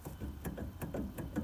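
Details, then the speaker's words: MG TF daily driver front wheel bearing, hub partly dismantled: spinning and rocking the hub by hand gives sharp regular knocks, awful noise; worn bearing with excessive play, to be replaced. "If I spin the bearing or the hub, you can hear that. It's pretty awful. And if I just rock it from side to side,"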